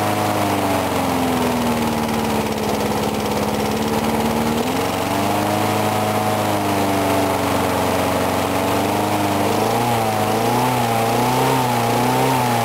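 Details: Briggs & Stratton single-cylinder mower, cold 35°F, sat long with water in the gas, refueled; fairly steady beat, pitch wandering slightly then settling, no misses or rattles; normal running.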